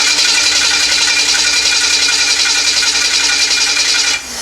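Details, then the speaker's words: Newly installed aftermarket starter, cranking with fuel added and the engine at 200 degrees: a high, rough whine for about four seconds, then it drops away as the engine catches. It sounds unlike a stock starter. "Man, that starter sounds freaking weird."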